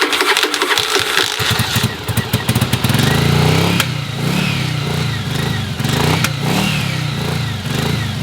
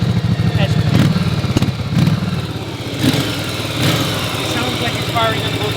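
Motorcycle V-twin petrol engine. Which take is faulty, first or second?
first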